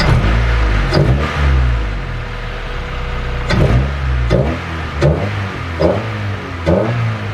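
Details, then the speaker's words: Honda del Sol warmed up, free-revved after new carbon fibre intake install replacing old intake; quick blips climb and drop cleanly, strong crisp sound, no misses; normal free revs. "do you guys hear how strong that is like bro oh my gosh well that intake just made this car sound 10 times better than what the old crappy robot arm looking intake"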